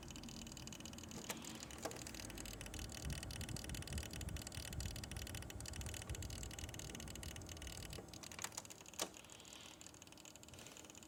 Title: Corsair H80i cracking/popping sounds